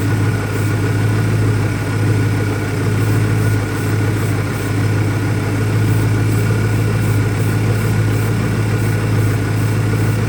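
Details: 2001 Ford Mustang Cobra, warm, with new Bosch spark plugs: a deep idle that wavers and stumbles slightly instead of staying even. The cause of the rough idle is unknown; the owner suspects possible vacuum leaks.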